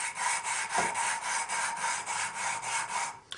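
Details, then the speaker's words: 1974 Honda CB750 rebuild, engine valve lapping by hand with grinding compound on the seat: rhythmic gritty rasping at about four strokes a second, still coarse; lapping compound still cutting the valve seat. "Just put it all around there and spin it to spread the spread that compound around. You can hear it's real gritty."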